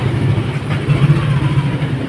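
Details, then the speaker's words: Yamaha NMAX all-new v.2 scooter, throttle body previously serviced: starts fine but low, lumpy idle wavers and sags, dies when throttle opened; ignition fault, leaking spark plug cap and worn plug. "สตาร์ทนะครับได้ปกตินะครับแต่เวลาเร่งนะอ่าดับนะครับอ่ะเดี๋ยวมาฟังใหม่"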